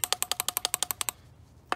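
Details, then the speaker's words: BMW E36 318is idle control valve, removed and carbon-fouled, idle had been rough: a better-condition valve gives crisp, even clicks about eleven a second, a short pause, then one more click; normal idle control valve clicking. "i noticed you're supposed to be able to hear a little bit of clicking here like here i got a slightly better condition one you can hear"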